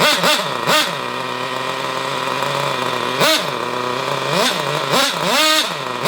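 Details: Hobao Hyper Cage nitro buggy engine, reported seized with a broken pull start, glow-started: fires in bursts, pitch jumping up and falling back unevenly between blips. It won't hold a clean rev; cause unclear.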